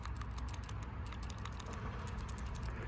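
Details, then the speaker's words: PCV valve from 2013 Honda Civic with about 136,000 miles, cleaned and shaken by hand: quick, crisp ticking as the check ball moves freely; healthy valve. "Yeah. And that's how it looks. Clean, and you can hear the valve ticking."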